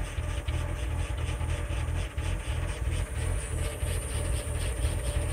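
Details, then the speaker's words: 2000 Lincoln LS V6, warm start, TPS reading 16.9% at idle: low idle lopes about three pulses a second like a performance cam and shakes the car, not a clear misfire; rough idle, cause unconfirmed. "Idles decently. It takes a lot longer when it's cold, but it's not too bad. But I don't know if you can hear it, but it's got a little, like a lope to it."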